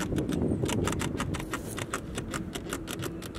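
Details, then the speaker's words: 2017 Chevrolet C7 Corvette, front passenger side: quick repeated squeaky creaks and ticks, about three a second, as the front end is pushed, misaligned front bumper rubbing and sticking against the fender, owner worried about paint wear. "And if you push on it, it makes a squeaky noise. It's rubbing right here. And I noticed this because I was detailing the car, and the whole front end of the car just makes loud noises."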